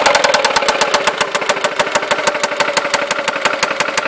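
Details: Seat Ibiza 1.4 16v BBY petrol engine idling with a sharp, steady knock about nine hits a second; cause unknown after oil change, replaced broken timing belt idler and new hydraulic lifters.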